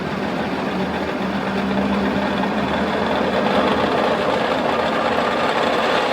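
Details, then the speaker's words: Distributor test bench with dizzy clamped in, wound from slowest position up to full speed via changing pulleys: smooth, even whirring rising slightly and holding steady, no knocking or grinding; it goes quiet at full speed, running healthy. "It goes quiet at full speed. Look at that."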